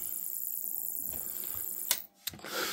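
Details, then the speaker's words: Dead Commodore 1084S monitor, sold as not working, case off, LED flashing: thin steady high whine with fast even ticking, then handling clatter; probably the flyback transformer, unconfirmed, other transformers not ruled out. "I mean that would tell me that it's probably possibly to fly back"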